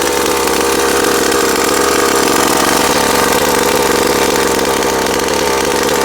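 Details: Rovan Baja Max 5T 1/5 RC truck small two-stroke engine running for the very first time, loud buzzy steady even idle with no stumbling or surging on break-in heat cycle; sounds healthy.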